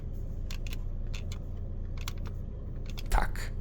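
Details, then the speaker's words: 2025 VW California T7 Ocean 2.0 TDI 150 hp: the dashboard plastic panel for lights and windscreen vents creaks and squeaks when pressed, dry crackles over a low cabin hum; it is the worst-finished interior trim part. "I ta płytka, jak słyszycie, trzeszczy i skrzypi."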